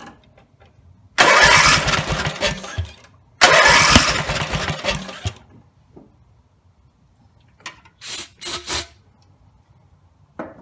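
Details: Rebuilt Briggs and Stratton 17HP (carb rebuilt, plugs, sump, oil slinger, gaskets replaced, valves reseated): two long cranking bursts barely catch and fade, then short sputters; dies once throttle drops; owner suspects the throttle linkage lever isn't resting on its screw.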